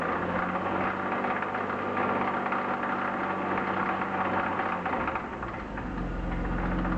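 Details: BMW E36 323i, 1995, M52B25 inline six, 140,000 km, idling with a light, uneven knock over a steady hum, loudest at the front of the engine above the VANOS; hydraulic lifters already replaced, upper chain tensioner new, lower tensioner fine, no metal in oil, no oil-pressure warning.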